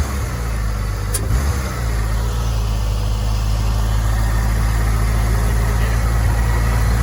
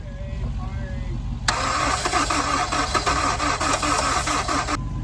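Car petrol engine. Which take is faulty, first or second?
second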